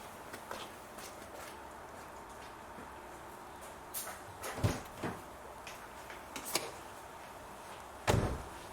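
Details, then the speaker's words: 2009 Nissan Note, left-hand (UK passenger) door lock actuator after replacement: a few crisp single clunks as the lock cycles, no buzzing or grinding unlike the old noisy one; normal actuator operation. "solenoid okay so that solenoid is working okay and it's not noisy like the other one was"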